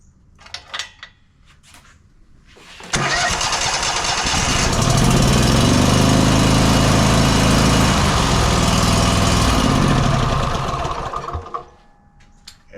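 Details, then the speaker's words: Exmark 52" Pioneer S zero-turn mower (PNS720KC523), Kohler KT720 twin, after the ignition coil on the previously dead cylinder was reset; run with the other plug unplugged: catches, holds a steady even chug, then winds down; that cylinder now fires properly. "runs just fine with that other plug unplugged now both cylinders are properly firing"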